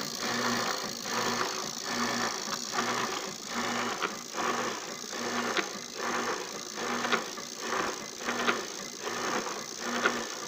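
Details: Washing machine heard after its faulty control board was replaced with a new one: motor hum swells and drops in even strokes about every second and a half as the agitator reverses; normal agitation.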